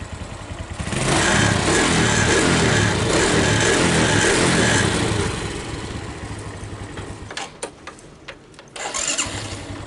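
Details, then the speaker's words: Suzuki Smash, cold start after replacing the starter motor and shimming to cure the noise: brief clean cranking, single settles into steady even beat, no grinding; starter now turns smoothly, normal cold start. "sudah halus. Untuk pemutaran starter sudah halus."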